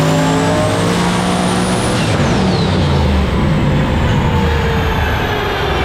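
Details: Truck on dyno, engine at full load: roar climbing in pitch then suddenly collapsing as the transmission fails, pieces ejected, driveshaft out; transmission failure under load.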